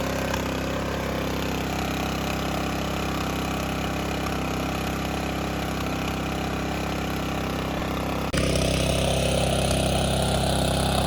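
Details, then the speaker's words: New DR Pro XL dual rotating tine rototiller with fresh gas and oil: steady churning at about four pulses a second with no firing. The ignition is grounded because a spring touches the kill tab, so it won't start despite about 20 minutes of cranking. "I sat out there and tried to crank it for about, 20 minutes. And the whole time it wasn't cranking was because the spring was making contact with the kill tab."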